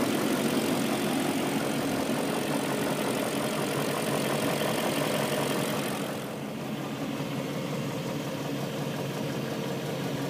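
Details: BMW M62B44TU V8 with stock exhaust, with INA aftermarket chain tensioner (BMW 11317531813) fitted: smooth, even idle that settles quieter after a brief blip, with no chain rattle or slap. Engine sounds healthy.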